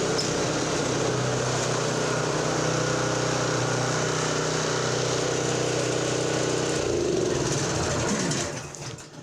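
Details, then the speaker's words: Toro 721 commercial Power Clear snow thrower, 7 hp, 21 inch, Toro-branded Honda-clone single-cylinder engine, choke on, unknown history: smooth steady rapid chug then winds down; normal running, bad spark plug blamed for no-start. "Okay, this one runs. Bad plug. Stick with the basics."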